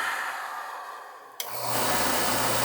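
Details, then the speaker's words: Oil furnace burner restarting after no-heat call; the nozzle drawer assembly had been set too far back from the retention head, sooting it black. Click, then burner motor spins up to steady even air whoosh, normal pre-purge before the delayed oil valve fires. "We've got a delayed oil valve here. Should be a little delay, and then she should fire."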